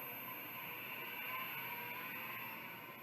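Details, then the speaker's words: Old ST-4026 hard drive from a bulk haul, spin-up test: thin high whine and horrible squealing with faint ticking about four times a second; unhealthy noise, though possibly working, cause not determined. "here's another 4026 horrible squealing noise that one I think is working I'm not sure though"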